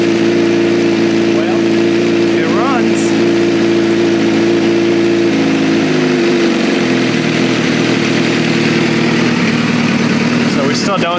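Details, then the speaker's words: Motorcycle with consistent compression readings, oil and coolant present: steady, even note at idle, then settling slightly lower, with no knocks or rattles. The engine sounds healthy, though a radiator hose drips. "nothing works but the engine runs sounds healthy"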